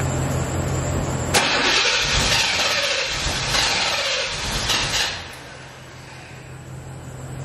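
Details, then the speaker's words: C4 Corvette, battery dead and jump-started: starter turns the engine fully over, it catches and roars a few seconds, then sags and dies; cranks and fires but won't stay running, cause unknown. "like it's turning all the way over it's cranking but then it's just it just feeling like it's something that's stopping it from staying on or like staying like crunk or something"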